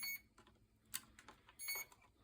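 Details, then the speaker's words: Early SwellPro fishing drone being rebuilt with a new flight controller and ESCs, bench tested indoors; short shrill ESC beeps in separate bursts; owner suspects no receiver signal or a bad pin connection; ESC beeping. "So it might be beeping because it's got no signal, but tough luck, man, tough luck."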